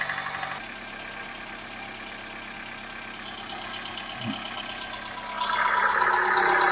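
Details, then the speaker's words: 21-year-old engine at cold idle after a light overnight frost: steady light knock about three a second over the engine note; source not pinned down; owner says the engine needs repair anyway. "холодный движочек. Ночью сегодня чуть-чуть подморозило. Есть такое хорошее выражение. Хороший стук всегда сам вылезет, да?"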